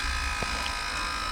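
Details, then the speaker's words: Tesla Model S being revived after wheel refit: steady electric buzz with airy hiss as the air suspension lowers about an inch, normal operation; car runs and moves, with pumps cycling and the car thought to need bleeding. "huh that's just the car going down does some funny things this car says literally it just lowered an inch right okay"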